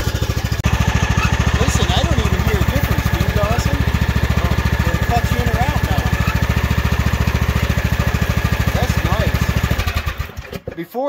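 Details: Craftsman hydrostatic riding mower after the repair (plastic shields removed), listening at the pulleys: a steady, even engine beat with no squeal, grind or rattle, then a clean wind-down. The earlier falling-apart noise is gone, and the drive runs normally.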